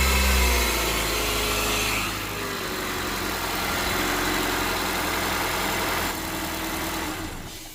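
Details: 2022+ Honda Civic 2.0L LX after removing debris behind crank pulley, running without serpentine belt to check for earlier noise: revs rise smoothly with throttle and drop back cleanly, no knock, rattle or squeal. Normal revving.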